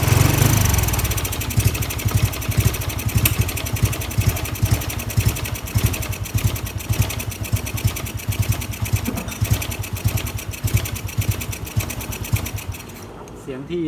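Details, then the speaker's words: Honda Wave 110i returned to stock crank, cylinder, piston, head, valves, exhaust, injector but still on a performance-tuned ECU map: uneven, lumpy single-cylinder beat never settling; rough running from tuned map. "เมื่อกี้น่ะเป็นเสียงของเครื่องยนต์ที่ผ่านการใช้กันที่เรียกกันว่ากันจูนจูนหอบคะ"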